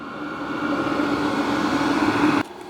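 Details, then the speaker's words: HCALORY Toolbox diesel heater for a Ford F-350 camper, after first run, put into shutdown mode. Even fan whoosh with a steady low tone through the roughly five-minute cooldown cycle, then stops abruptly; normal cooldown. "Okay, it's running its cool down cycle now too."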